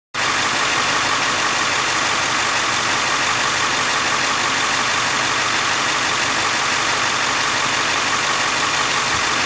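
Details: Ford 7.3 Powerstroke diesel V8 idling steadily with a light, fast ticking woven into its clatter; owner wonders about injectors or glow plugs, source unconfirmed.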